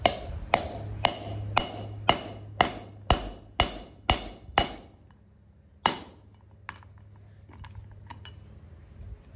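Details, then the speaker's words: Bearing race being driven into the hub with a seal driver and hammer during a bearing, rotor and pad job on an OBS Ford 7.3 Powerstroke. About two ringing blows per second, then the ring deadens and the blows stop as the race fully seats. "got your seal driver and you just drive and you're going to hear the difference in the tone once it"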